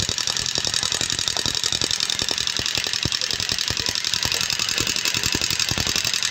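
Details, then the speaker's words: Yamaha Sniper 135 test run after a top overhaul and oil change: fast, loose, uneven ticking at about three to four per second. The oil pump isn't lubricating the top end, causing valvetrain clatter. "wala walang [Musika] lubrication yan walang walang lubrication ng langis mga to kasi ito"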